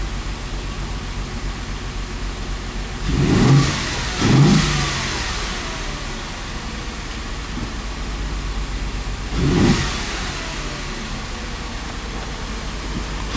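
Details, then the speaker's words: Audi engine just reinstalled after sitting two years, restarted after topping up the oil that ran low pressure on the first start: steady idle with three clean, smooth blips and no knocks or rattles; starts right up and revs nicely. "It starts right up and it sounds really good. Revs really nice"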